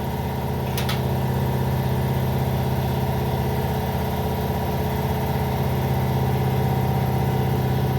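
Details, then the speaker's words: Workshop air compressor heard while gapping a Tecumseh snowblower spark plug: steady low droning hum with faint uneven pulsing, weird sounds; abnormal compressor noise, cause unclear. "Oh, air compressor noise."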